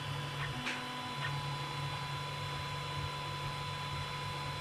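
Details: Creality CR10 3D printer running after installing vibration dampers: low steady motor hum with faint high whine, no rattling, much quieter than before.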